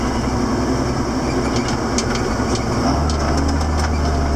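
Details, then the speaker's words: 7410 diesel tractor after an in-frame engine rebuild, pulling away toward the hill: a deep, steady drone firms up evenly with no knocks or misses, it is burning clean, and it sounds healthy. "We need to really hook it to something heavy. And we're off. Yeah, you can tell the difference."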